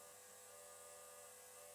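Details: KTM RC 390 project fuel pump controlled by a MaxxECU, pressure regulator holding about 48–50 PSI on ethanol blend fuel: faint, steady high whir at an even pitch with no surging or stutter; the pump is running normally.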